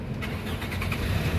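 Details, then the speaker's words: 2006 Toyota Camry 2.4 G automatic, 137,000 km, oil and coolant checked: short crank, engine catches straight away and runs steadily; healthy start, no hesitation that would suggest a weak battery or starter. "nah pada saat kita Nyalakan mobil pastikan bahwa nyalanya itu jereng karena apa kalau dia nyalanya tersendat Berarti ada kemungkinan permasalahannya bisa jadi di akinya sudah soak"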